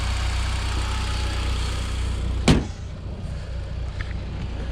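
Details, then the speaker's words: Mitsubishi Evo Final Edition, bought very cheaply, idling with the hood open: a smooth, steady low idle with an even beat and no ticking or misfire; one bang midway is just handling. "I'll just pop the hood here so you guys can hear it running. I mean, it runs really good. Really just like"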